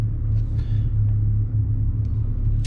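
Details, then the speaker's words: Twin Yamaha F200 outboards on a Jeanneau Merry Fisher 895 underway at 1000 rpm, about 6.1 knots, roughly 6.6 litres per hour: deep smooth steady rumble, no knocking or misfire; normal low-rpm cruise. "So that's 1000 RPM, we're at about 6.1 knots. You can see from the data there that we're at 6.6 roughly litres per hour."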